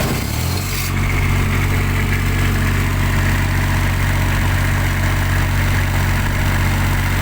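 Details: Kubota tower light diesel that wouldn't start (clogged primary fuel filter, loose fuel line hoses, air lock in the fuel system): steady, even idle with a deep constant rumble, no misses or hunting. Running smoothly.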